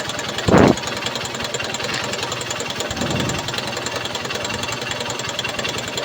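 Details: Honda CB Shine single-cylinder bike idling after carburetor cleaning to fix a petrol leak, idle speed adjusted: quick steady putter holding an even idle with no stumbling or hunting; idling cleanly.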